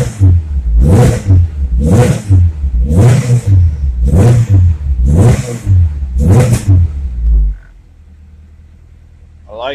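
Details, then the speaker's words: Honda Civic with B20B engine, first start-up after fitting SRS catback exhaust, quieter inside: six crisp blips about a second apart, deep smooth exhaust note, revs dropping cleanly; normal revving. "alright first start up since new exhaust Wow way quieter inside it sounds good"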